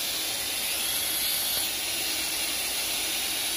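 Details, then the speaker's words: Hayward pool filter after cleaning, pump restarted at 100% for the first 3 minutes and primed, bleeder opened: steady, sharp airy hiss with almost no low rumble, holding constant as trapped air vents while the filter fills. Air bleeding from filter during priming. "Pump should be drawing in water. Now it's got primed. And you can hear the air coming out."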